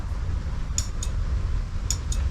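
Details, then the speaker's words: Honda Scoopy (Metropolitan) scooter that kickstarts but won't start on the button: two sharp relay clicks with each press, low hum, no cranking; owner suspects failed starter relay, planning to tap it. "nothing. But we can hear this relay here click. So I'll turn the ignition off and I'm going to get a bit violent with this relay."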